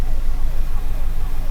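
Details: 2008 Kia Rondo 2.7L V6 VVT, suspected jumped timing belt, injector 1 disabled via scan tool with no change: uneven, lumpy low-pitched idle with irregular stumble; ECM cuts bank 1 injectors, misfire codes for cylinders 1 and 5.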